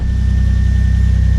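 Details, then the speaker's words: Nissan Pathfinder that had been hard to start and barely idling, after reconnecting the air intake pipe and mass airflow sensor: a steady, even low idle with a smooth rumble and no misfire or ticking. It is running cleanly. "We're back in business, baby."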